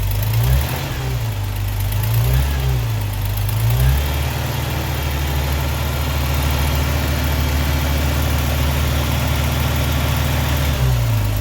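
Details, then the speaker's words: 1979 Opel Monza petrol inline-six, barn find, before setting the tappets: low, even, smooth idle with light throttle blips on all six cylinders, charging, with an exhaust leak present. "Sounds good. We're running on 6, definitely. There is an exhaust leak coming from somewhere. It's nice and smooth."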